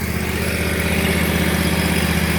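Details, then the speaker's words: Bradley mower after replacing broken belt-tightening mechanism and new belt (about an inch of play), blades engaged: steady even engine drone, no knocks, slips or squeals; normal running. "if you know anything about lawn equipment, when I turn that on, you know how it's supposed to sound. And that's it. It's on there. It's ready to roll."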